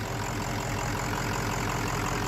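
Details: 600HP 6.0 Powerstroke crate engine in an Excursion build, just fired up after a new engine harness fixed a short: an even, steady diesel idle with a smooth low rumble and no knocks or misses; it runs cleanly.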